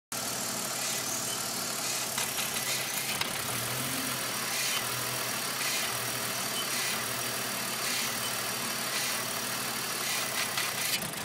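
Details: BMW Z4 rough idle: uneven, hunting idle note with a hissy, unsteady background; airflow meter recently replaced and ruled out, cause unclear.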